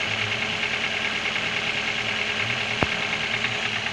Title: Стук в двигателе